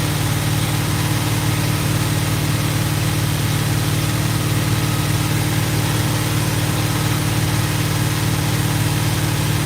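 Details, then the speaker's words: GMC truck V8 on its first start, good oil pressure: deep steady idle with a rhythmic puffing tick about twice a second; an exhaust leak. "oh yeah we're in good shape she farts like a kitten I got an exhaust leak to fix sweet"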